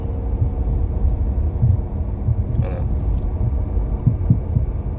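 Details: Fiat Toro 2018 on the road: dull low thumps rise irregularly over road rumble, passenger side, from a torn engine mount letting metal hit metal; shocks, bump stops and mounts had already been replaced.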